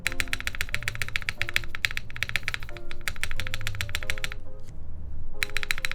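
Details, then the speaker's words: TGR Jane v2 keyboard with test UHMWPE plate with flex cuts, OP Black switches: sharp hollow clacks on each spacebar press, plate suspected bottoming out on something underneath; spacebar knocking. "Okay, so I think it's the plate hitting something. See, look. I think it's bottoming"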